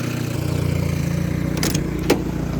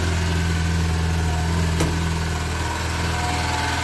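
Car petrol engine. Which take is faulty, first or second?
second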